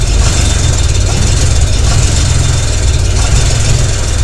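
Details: BMW E91 LCI 335ix with N54 engine at idle: loud idle with a lumpy, uneven pulse under a deep rumble; misfire from faulty fuel injectors.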